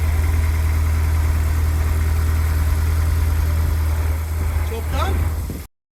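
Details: Honda S2000 parked six years, just started: a steady, even idle with a smooth low thrum and no knocks or chain rattle. The owner notes these engines can suffer chain problems, but it sounds sweet.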